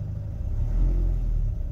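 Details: Renault Trafic / Vauxhall Vivaro 1.9 dCi diesel with a won't-rev fault, mostly when hot: deep smooth rumble swells as revs climb then eases, the engine finally answering full throttle normally.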